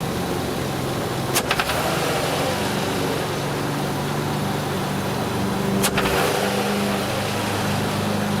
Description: What you're hearing here is both a combination of the intake shifter bushings being worn out, and a vacuum leak of one of the gaskets of the shifter rod, which is the green gasket that can be seen at around 0:30 .